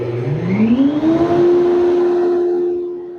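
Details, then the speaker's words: 5hp workshop dust collector after a refurbishment, first test following an earlier squeak: the motor hum climbs smoothly as it spins up, then settles to a steady, even tone with no squeal or rub. Normal startup. "Well, that's not too bad. Not too bad at all."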